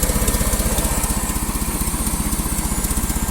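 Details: Old carbureted gas engine idling warm after cold start, with custom exhaust manifold gasket: steady, even chuffing around three beats a second with a faint tick from a small remaining exhaust leak; sounds healthy.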